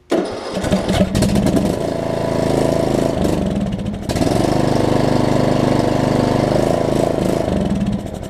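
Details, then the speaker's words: John Deere LA105 riding mower, sat a long time, fuel tank and carburetor cleaned: starter cranks with a few uneven catching bursts on starter fluid but never settles into a steady run; hard starting, possibly losing spark, cause not pinned down. "okay so I know I'm getting fuel in there and I know it's just running on starter fluid at this point"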